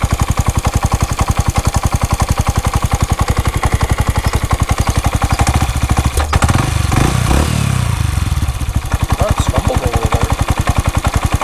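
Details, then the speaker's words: Honda Grom small single idling after valve adjustment found valves fine: sharp regular tapping knock, three or four per second; owner suspects loose or sloppy cam chain, cause unconfirmed. "yeah a knocking noise"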